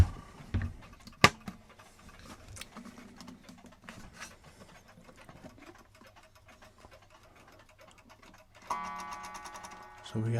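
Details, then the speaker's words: Antique Bonner & Sons Colchester English mantle clock during reassembly: a slow, uneven tick, then a sudden bell strike near the end. The chime hammer is misaligned and not hitting right, so it needs raising slightly. "So we have to take the hammer, because it's not hitting right, so we just raise it up a little bit,"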